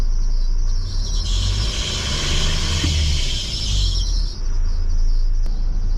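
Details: Diesel box truck (converted refrigerated truck): shrill high squeal since starting, not usual, swells as revs rise and fades as they drop; no dashboard fault codes; owners don't know the source; squeal rising with throttle.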